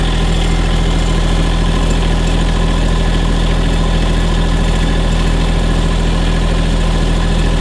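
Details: Cold diesel tractor idling after starting at about 5 degrees (owner says "50, probably 5 degrees") following over a week sitting with no battery tender; glow plugs used, neutral, mid throttle. Steady, even low chug with no knocks or misses; normal cold idle.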